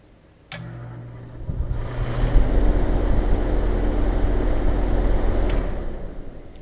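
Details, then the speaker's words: Heat pump outdoor unit with compressor common disconnected, fan motor running alone: low steady hum winds down smoothly with no thump at stop; normal fan shutdown, unlike with compressor connected. "we are going to do just the fan motor and oddly enough noise is not there shuts off really"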